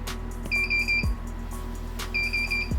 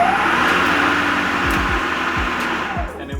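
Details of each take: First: Greenworks Pro 60V battery lawn mower bought as broken: pressing start gives a click and bursts of high rapid beeps every second and a half, motor never spins up; fault beeps, won't start. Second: Working Greenworks Pro 60V battery electric lawn mower: steady electric whir with a clear hum, no clicking, grinding or stutter; motor runs normally.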